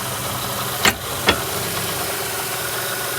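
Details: 1995 Toyota Camry, shifting between park, drive and reverse at idle: two sharp clunks about half a second apart as the gear engages. The owner suspects bad CV shaft joints or worn rubber mounts; the cause is not confirmed.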